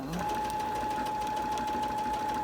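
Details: Quilting sewing machine running stitches: a steady mid-pitched whir with faint light pops as the needle pierces layers bonded with adhesive; the machine itself is fine.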